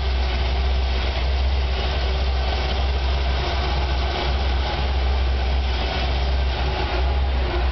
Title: Chevy 454 BB Rough Idle first start